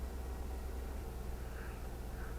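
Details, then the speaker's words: 2003 Suburban 5.3L Vortec V8, 200,000 miles, after a spark plug change (.060 gap) and intake manifold gasket repair for vacuum leaks (P0171/P0174): low, quiet, even idle rumble with no miss, hiss or stumble; healthy V8 idle. "looks like it's running don't look it's running good"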